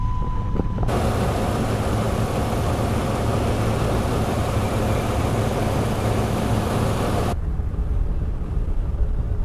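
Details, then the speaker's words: Newly bought, long-sitting project car, started hot, with a fuel injection system reported busted: loud rough idle with an uneven, lumpy low beat and stumbling rhythm, an extreme misfire whose cause is not confirmed. "well as you can see guys it's got an extreme misfire and that's part of the running problem part of why i got it so cheap is because the fuel injection system is busted on this"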